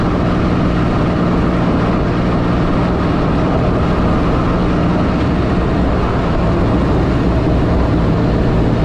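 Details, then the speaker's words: 1984 Pontiac Fiero wide body with 3800 V6 swap on a drive after replacing reused header gaskets and adding a V-band clamp; steady engine drone, no ticking or puffing, exhaust leak gone. "before you'd be able to be able to hear a whole bunch of exhaust leak in here now it's quiet"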